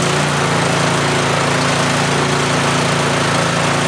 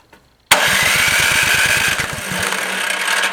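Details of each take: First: Yardman (MTD) snowblower with LCT engine, fixed after sitting years by dumping the carb bowl and flushing the tank: steady high speed at 3400 rpm without surging or stumbling, running clean, though smoke burns off the muffler. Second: Yardman (MTD) snowblower with LCT engine, sat for years: electric starter spins about eight even compression beats a second with no firing; spark confirmed, fuel starvation from corroded carb bowl, fixed by dumping bowl and flushing tank.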